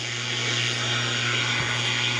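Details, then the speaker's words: GE P-965B radio tuned to AM 840 running on batteries, swamped by steady hiss, buzzing static and low hum when the shop's main noise-making appliance is plugged in, not yet warmed up. A soldering iron adds interference; electrical interference from shop devices. "this is the primary noise maker in my shop I'm gonna plug it in and show you"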